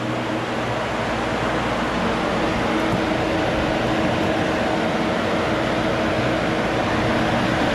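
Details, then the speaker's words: 2005 Chevy Corvette with new engine, after upgrading the cooling-fan wiring harness and relays: both radiator fans running on manual switch, a steady, even rush of air with no rattle, scrape or pulsing; normal operation. "Yeah, they're both running. That should be it, wrapping up the electrical issues that we have."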